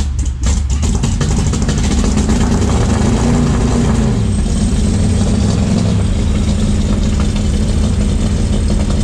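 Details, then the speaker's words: First start of a Summit 302 crate V8 (built by ATK) in a 1967 Mustang, with antifreeze blowing out and smoking; fires deep and loud, speed rises and sags, never settles to a steady idle; unstable idle. "sounds good i don't know what the hell he's doing i can't uh it's not idling that was idle yeah"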